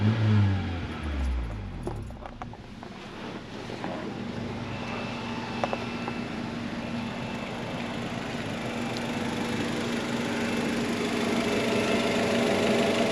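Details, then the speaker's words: 1998 Acura Integra GS hatchback, B18B1, 106,000 miles, after a tune-up (thermostat, cam seal plug, plugs, wires, distributor O-ring): catches with a short flare, then settles into a smooth, even low hum with no knocks or misses; owner feels it isn't breathing well. "And I gotta tell you, man, I'm almost kind of glad that I took it to this shop because all the work is warranted, but this thing is running quiet."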